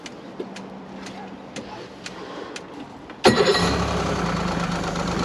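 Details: Evinrude E-Tec 90 outboard, previously stuck in limp-home mode, after repairing slightly frayed injector wiring: injector one clicks steadily on test, then the engine fires and settles into a strong, even idle with no misfire; no active faults shown.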